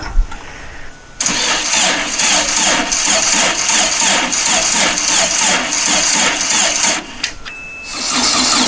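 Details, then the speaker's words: Dune buggy with a new fuel pump pushrod and the fuel pump inlet hose tightened, with the fuel turned on: long stretch of steady, rhythmic cranking that never catches. Extended cranking, no start. "okay now that we've proven its crank it will crank let me make sure i turn the fuel on"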